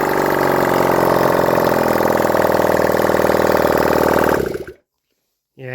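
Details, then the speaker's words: Honda CD175 single with open pipe, after setting timing and refitting the engine: runs steady, then stumbles and sputters before dying after four seconds as it runs out of fuel. "it's running out of fuel there, that's the only reason it's spluttering a bit, but she's running, guys."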